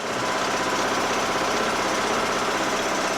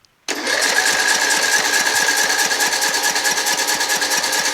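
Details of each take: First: John Deere L100 lawn tractor single-cylinder engine at low-throttle idle, after removing the fuel-mixture screw and blowing its passage out with carb cleaner: steady, even idle with a quick regular beat and no hunting; surging is gone and it runs great. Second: John Deere L100 lawn tractor engine after carburettor clean and valve adjustment, choke on, cold day: about five seconds of fast even cranking without catching while the float bowl refills; extended cranking before start.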